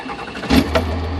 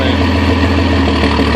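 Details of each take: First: 1997 Cummins 12-valve diesel: brief start-up catch, then low, steady idle rumble with no knocks or misses; sounds normal at idle without load. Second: 1997 Cummins 12-valve diesel: normal-sounding idle, but steady chuffing pulse about three per second turns harsh, jake-brake-like blatting under engine load; exhaust-side cause unknown.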